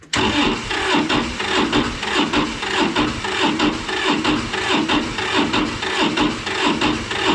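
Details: Massey Ferguson 205-4 tractor, 1.1L Toyosha S107 two-cylinder diesel, hard starter when cold: starter turns it sluggishly and unevenly about 1.5 cycles per second, never catching; owner suspects weakening battery, may jump start.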